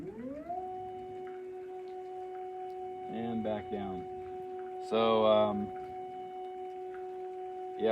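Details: EpicSaw PowerLift on a Woodland Mills HM130 Max sawmill, running at a reduced lift rate setting pending squaring the unit: steady, even electric motor hum at one pitch as the head travels up and down; normal lift motor operation.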